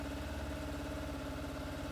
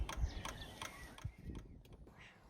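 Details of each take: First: 25-year-old Yamaha FZR1000 first start in six years after carb clean and fuel system reinstall, no choke, oily residue smoking off head; smooth even idle, steady low exhaust beat, no knocks, ticks or rattles: healthy. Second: Yamaha FZR1000, about 25 years old, first start in six years after cleaning and reinstalling the carbs, started cold with the choke forgotten: several seconds of faint uneven cranking and sputters, then it catches with a sudden roar; hard cold start without choke.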